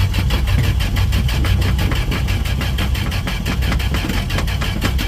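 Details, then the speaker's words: 1968 Dodge D100 hard start: steady rapid starter cranking churns on without catching or firing; seems short of fuel, fires only after gas is poured down the carburetor throat; long cranking without starting. "Come on, baby. Holy gas, really taking its time."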